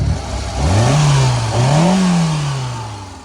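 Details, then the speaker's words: 18-year-old Hyundai Santro Xing after misfire repair and throttle body cleaning. The engine note climbs and falls twice with the throttle, even with no stumble or miss. Car stands smooth and stable; normal running. "देखिए car बहुत smooth खड़ी है"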